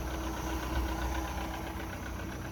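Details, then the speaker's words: 1982 Sea Ray boat engine after revival, running on its own fuel with water now pumping out the side rather than into the boat: steady, even low idle, no knocks or stumbles; runs smooth. "Running good. That's just pretty smooth on an engine, if I ever say so myself."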